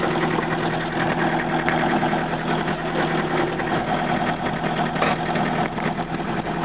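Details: Engine, same type as one that ran out of oil: rough, clattery diesel-like idle with irregular hard knocks over the rumble; owner says something is chronically wrong, cause unconfirmed.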